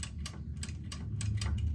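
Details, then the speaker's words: Electric drying rack with broken wire, cover removed, limit switch tested; about seven crisp, clean clicks in two seconds over a low hum, switch snaps positively with no problem; normal limit switch click. "This No problem at all Sometimes if the switch is broken You got a new wire."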